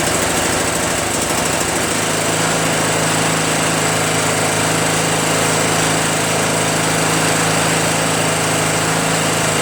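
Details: Craftsman (Yard Machines) chipper shredder small single-cylinder flathead engine after starter repair and valve-seat clean-up: steady, even running with a fast regular beat, no misses or knocks; sounds healthy.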